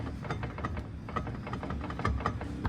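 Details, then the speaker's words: Car on jack stands, driveshaft unbolted, rotated slowly by hand from underneath: irregular dry clicks and crackles suggesting play in a driveshaft joint; welded differential and wheels not turning also questioned. Cause not pinned down. "और यहां पे इस side पे drive shop पकड़े तो देख रहे हो ये आवाज कड़कड़ा रही है।"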